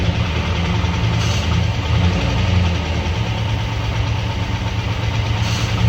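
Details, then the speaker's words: 1948 five-window truck, sat about 50 years, being started and fed fuel by hand: rough, uneven idle with a dull rhythmic knock and stumble, plus intake backfire and smoke. Possible rod, valve or torque-converter knock suspected; owner suspects bad fuel or water causing detonation. "Solid would be a rod knot. No. Like a valve, a torque converter boat, slapping and bell housing. I don't know, but I can feel the unbalance in the engine right away."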